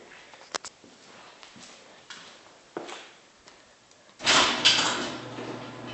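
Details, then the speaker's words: Garage door closing: a few light clicks, then a loud, harsh rattling rush over a low motor hum; the cause is unknown. "all right hey guys um back in the garage this has to do with this door right here it's making a weird noise as it closes I want you guys to hear it"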